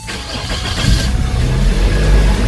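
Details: 2007 Toyota Altis after hard-starting fault traced to fuel pressure dropping, fuel system restored and pressure holding within 40–48 range: quick crank catches cleanly, one-click start, settling into a steady even idle with no misfire.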